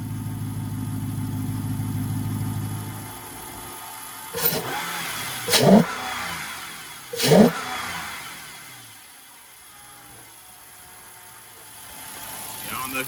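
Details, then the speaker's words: 2009 Dodge Charger Pursuit 5.7L Hemi V8 just after an Airaid cold air intake install, warmed up a little after a cold start: steady deep idle then clean throttle blips, no knocks or misses; running healthy. "can hear that man it sounds actually pretty cool hell yeah"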